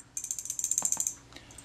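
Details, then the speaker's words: Kodak Retina IIc part, which previously stuck, straightened and reassembled. When shaken it gives a quick, crisp rattle of light clicks with no sticking; it now moves freely as it should. "that's running nice and freely now you can hear it rattle backwards and forwards as i shake it that's how they should be"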